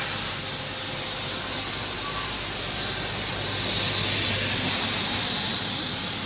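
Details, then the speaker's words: New 24-inch Evolution Aqua K1/KPlus Advanced koi pond bead filter, first clean a week after install, blower on with the valve set to rinse; loud steady rushing hiss with fine bubbling churn, media scratching the sides; normal air-blower bubbling. "And as you can see, that's really bubbling away nice, that."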